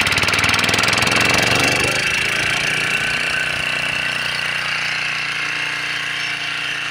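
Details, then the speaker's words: McCulloch H1500 1500 W portable generator, 3 hp Briggs & Stratton gasoline engine, started on choke at low idle: a fast, even buzz holding a steady note with no misses or knocks; runs healthy and makes power. "so you guys can see in here that it does run it does make power"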